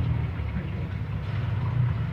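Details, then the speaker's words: Welhome wall fan that had been stuck, only humming and turning stiffly, now fixed by cleaning the shaft and bushing and oiling them, with no parts replaced. Even low hum with no scraping, ticking or slowing; strong airflow and the motor turns freely. "Hai anginnya juga terasa kencang juga pemutarannya bagus jadi tidak bermasalah di dinamo juga bosen nya tidak diganti tak hanya membersihkan dan kondisi tadi macet seret secara Udah lancar kembali"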